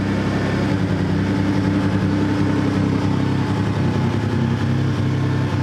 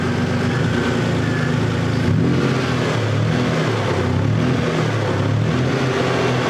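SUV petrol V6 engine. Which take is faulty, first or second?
first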